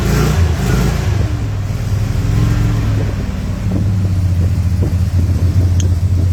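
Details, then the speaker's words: 1970 Dodge Charger 440, started occasionally after sitting, with a freshly primed carburetor and a new heater core bypass valve. Big V8 loping, uneven, hunting idle after a rev. Owner suspects a vacuum leak. "You hear it? Definitely got a vacuum leak."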